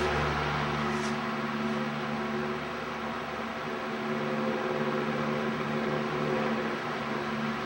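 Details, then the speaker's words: Old GE Vortalex fan switched to what is believed to be high speed after lubrication: a steady, even rushing whir of air with a low motor hum and no ticks or rubbing, sounding like an airplane; healthy. "Boy, it sounds like a dadgum airplane, doesn't it?"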